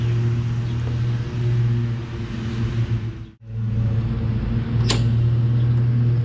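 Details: Toro Recycler 22" self-propelled mower, Tecumseh 6.5HP engine, after carb cleaning with a tiny, possibly clogged jet cleared using a thin wire bristle: steady low putter with only a brief dip, running smoothly and evenly, much better now.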